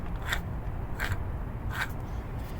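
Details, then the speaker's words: Original starter from 1995 Polaris Magnum 425 quad, removed and turned by hand during restoration: a few short gritty scrapes and rough drag instead of a smooth spin; chewy, done, binding starter, being replaced with a new one. "it's uh it's a bit chewy it's it's done"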